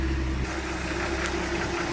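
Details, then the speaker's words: 1967 Ford F-100 custom cab, stock 240 cu in inline six, heard with hood open: smooth, even idle with steady low hum, no knocks or misses; healthy, purring like a kitten. "All right, there's that 240 cubic inch inline 6-cylinder, purring like a kitten."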